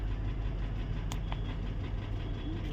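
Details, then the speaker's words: Mercedes-Benz GL450 V8 idling with smoke from the exhaust: uneven, stumbling rumble; random multiple-cylinder misfire with cylinders 2, 4 and 7 detected, plus intake manifold runner control and ignition coil codes; engine misfire at idle. "The car is rustling, misfiring."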